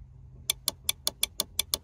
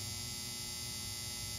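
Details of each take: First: Volvo Penta SX-A power trim/tilt before repair; fuses not at fault, relays getting power and switch giving about 12 V both directions. Sharp dry clicks about six a second in repeated bursts, no motor hum; relay chatters but the pump motor never turns. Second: Volvo Penta SX-A power trim/tilt pump motor, bench-run after smoke cleared; motor not hot, switched between directions. Small motor hums steadily with a thin high hiss, smooth, no grinding or catching; runs cleanly.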